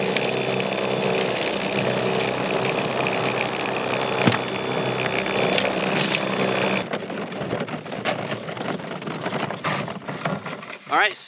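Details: Greenworks 80V battery-powered snowblower, new, on first use clearing about 1 to 2 inches of light snow: steady electric motor whir with snow being thrown for several seconds, then it quiets and trails off; runs evenly, normal running.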